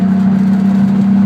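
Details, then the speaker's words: Steady, even idle hum with no hunting or surging on an RB30DET-swapped turbo Datsun Z at a stop after the MAF-to-turbo pipe was changed; the earlier erratic idle seems fixed, though the owner says it idles slightly lean; normal idle. "just the idle, man, it it seems to have fixed the the crazy idle just moving."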